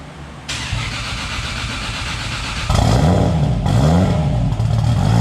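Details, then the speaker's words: Supra's first start-up after a new triple-disc clutch replaced the twin-disc: the engine catches and settles into an even, steady idle with a deep, smooth exhaust note and no knocks or misses; it sounds healthy. "First start up after clutch job. Kyle's would get in the car. Listen to this baby purr."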